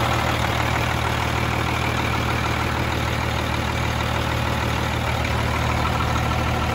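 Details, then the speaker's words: Freightliner FLD120 with Cummins M11 diesel after new fuel-water separator and clear fuel lines: steady, even idle with a smooth low rumble, no stumbling or hunting; no more air bubbles in the fuel system. "let me start this bad girl up for you and you can see there is absolutely no more air getting in through the system"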